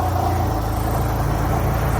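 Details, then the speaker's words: Mitsubishi Galant with 4G63 engine on first road test after revival: even low engine drone on the move with no top-end tapping; the earlier valve lifter noise is gone and no check engine light. "So guys, no, napansin nyo wala nang ingay ng ating lifters."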